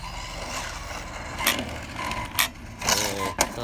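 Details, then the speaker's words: Arrma Outcast 6S RC car with bulletproof-built diffs, after 4 years: sharp irregular clicks and clacks over drivetrain whir under load, growing louder; found a broken planetary gear in the center differential. "So, broke one of the planetaries in the center."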